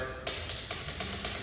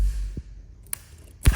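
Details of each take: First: ATV click, no-start: key turned to start gives only sharp, light starter relay clicks with no cranking; the relay clicks, so further testing follows. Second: ATV with a click, no-start problem, starter relay jumped to bypass it during testing: a couple of faint clicks, then the starter spins up strongly with a quick chugging beat and cranks properly.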